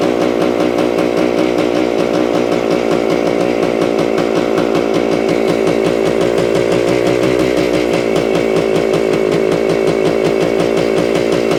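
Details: 1975 Suzuki TS-250 two-stroke after stator rewiring, coil ground repair and cleaning the wet plug, about 30 degrees out: first start, crisp buzzing note held high and steady, revving freely as it warms with no misfire; loose stator screws were later found as a cause.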